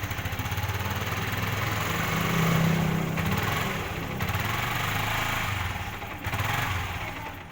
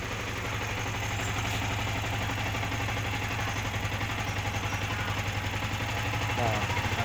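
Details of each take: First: Yamaha R15 motorcycle stumbling as throttle is opened slightly, chugging unevenly and nearly dying, hard to ride; malfunction indicator light came on, cause not yet found. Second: Yamaha R15 single-cylinder idles with a steady, even, unhurried beat and no misfire or stumble after a new part was plugged in for its stuttering problem; charging current now peaks at 14 instead of the earlier 17–18.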